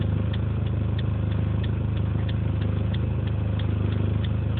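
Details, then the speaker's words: 2005 Dodge Neon, horrible thrumming noise at idle after stopping from 55 mph: deep heavy thrum with slight surging rise and fall and faint ticking; noise fades when turning left and is inaudible while cruising in third at 40 mph; cause unknown. "You can hear the horrendous noise. The best way to hear it. Okay. Let me hear it. That's the horrible thrumming noise at idle."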